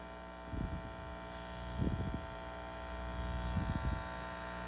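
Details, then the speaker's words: Ampeg Heritage B-15 reissue 6L6 bass amp (Metropoulos-built, hand-wired), volumes at halfway, customer's recording: loud constant low hum with buzzy edge, unchanged with bass unplugged, on power conditioner. "Now check this out. Take the bass out. Nothing changes. Nothing plugged into it doing that."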